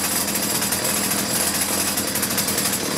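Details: Two-stroke chainsaw idling after fixing wrongly connected fuel lines (previously started briefly then quit): high, raspy buzz, steady and even without sputtering or surging; idle being set so chain doesn't move.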